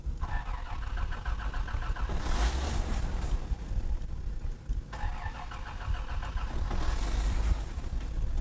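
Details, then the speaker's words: 1986 Toyota Land Cruiser FJ60, carbureted, after sitting, choke turned off; two spells of steady starter cranking with a low churning beat, and it never runs. Owner first suspects it's out of gas, and water was later found. Cranks, no start. "no no no no no no no no something is wrong with the toyota land cruiser something's wrong with it"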